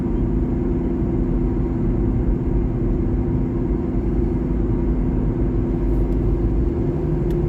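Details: 2012 Honda Civic LX sedan at cruising speed: steady low drone under road noise, no clicks; owner suspects a bad driver-side front wheel bearing, not confirmed.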